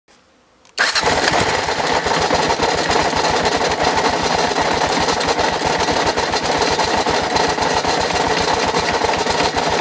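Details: 2006 Kawasaki KLR650 single-cylinder with 25,000 miles and regular oil changes that suddenly became very noisy. It starts and idles with a loud, busy metallic clatter over its rapid even beat; cause unknown.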